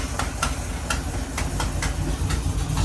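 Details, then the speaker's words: 1969 Camaro V8 that sat 36 years, running after a new fuel pump and shifting into gear: lumpy idle with sharp ticking puffs about twice a second. This is a bad exhaust leak from a newly fitted exhaust gasket whose top is torn. "it's got a really bad exhaust leak it's it was a new gasket but I guess the top is torn and I didn't see it"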